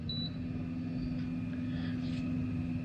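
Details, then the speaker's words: Electric trolling motor after a prop-off service, running at its sweet speed setting: a steady, even low humming tone, running smoothly and well. "I'm just going to find my sweet spot and The Sweet Spot seems to be right about there that's where it's running quite well"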